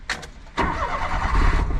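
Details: Kei van jump-started with a booster on a cold start, possibly a fuel-injected twin cam (owner unsure). A short crank catches right away and settles into a steady, slightly lumpy idle; it starts normally.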